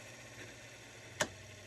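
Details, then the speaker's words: Antique 100-plus-year-old GE 1/6 hp wound-rotor induction motor winding down after its first test run following contact-plate cleaning. A faint hum, then one sharp click as the centrifugal start switch drops out: normal. "Okay, the centrifugal, you hear that? The centrifugal switch clicks off."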